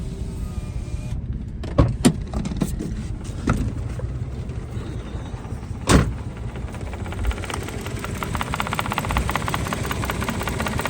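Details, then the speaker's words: 2014 three-cylinder petrol car idling lumpy with a low shaking rumble and vibration; code P0350 returns after clearing, and only two cylinders work because the middle cylinder's ignition coil is not working. "ये आप देख सकते हैं engine की condition कैसे engine जो है vibration है जो क्योंकि दो सिलेंडर काम कर रहे हैं"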